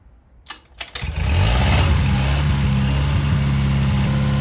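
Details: Restored long-stored 6.5 kW gas Kohler marine genset from a houseboat, run with bucket water pickup at about 30°F; brief cranking then catches into a steady, even smooth idle, a healthy start.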